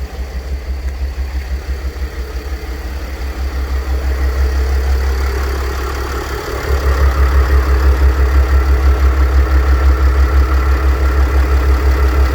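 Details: Mercedes W211 with OM642 3.0 diesel at idle: even low throb with a faint constant hum from a worn A/C compressor bearing; replacing the bearing eliminates the noise.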